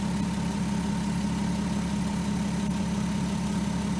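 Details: 2003 Volkswagen Eurovan VR6 after replacing the timing chains, guides, tensioners and sprockets: smooth, even idle with a steady low hum and no rattle or ticking. Normal idle.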